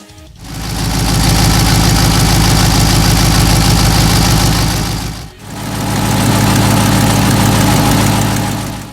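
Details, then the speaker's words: Cadillac CTS-V LS V8 with long-tube headers and broken rear header bolts: a quick, steady ticking in time with the idle firing from an exhaust leak at the driver's side header, recorded before a clamping bracket was fitted. "The passenger side sealed up no problem, doesn't leak at all, but the driver's side really ticks. It doesn't sound very good, especially when you're up against a wall."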